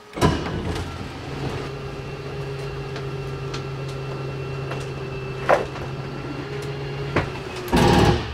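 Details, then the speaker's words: Coleman bunkhouse travel trailer slide-out extending: steady low motor hum while the button is held, then sharp clicks at the end of travel signalling full extension; normal operation. "i'm going to press and hold that slide out button to move the slide out out and then you'll hear the clicking noise that happens at the end"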